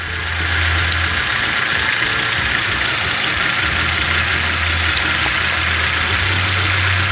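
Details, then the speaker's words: 2011 Hyundai i20 petrol engine idling with an uneven, lumpy beat; unplugging coil packs one at a time shows cylinder two misfiring, injectors eliminated, coil pack or spark plug suspected, plug to be changed first. "Oh, this one is not acting very well. This one number two. You see it? M problem number two clearly and try the injectors."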